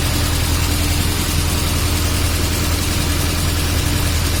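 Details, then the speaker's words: VAZ classic (2101-2107) raised on stand, brake drum removed: steady low hum with even mid tone, no rattle or knock at rear hub; earlier rattle gone, bearing sounds healthy. "Да, уже такого нету, согласен. Но это без барабана."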